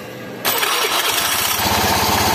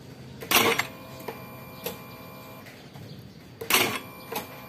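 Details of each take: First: Honda Beat FI scooter that only clicked "tek tek tek" on the starter, battery read 12 V but was too weak to crank; after charging, a brief starter whir and the engine catches quickly into an even idle. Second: Honda Beat FI scooter starter only clicks "tek tek" with brief clatters and no cranking. Battery reads about 12 V; the starter motor is too weak to turn against load.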